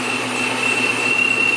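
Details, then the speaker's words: 2012 Mustang GT V8 with new Borla S-type quad-tip mufflers idling with the hood open; steady high blower whistle at one pitch over a smooth idle; normal supercharger whine. "What is that whistling sound? That's the blower. It's because the hood's open."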